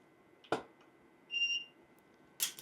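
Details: Quiet studio during a wet-plate botanical shoot of silver dollar eucalyptus: a sharp flash pop with modeling lights off, firing the strobe furthest from the camera, a short high ready beep, then another pop; strobes firing and recycling normally.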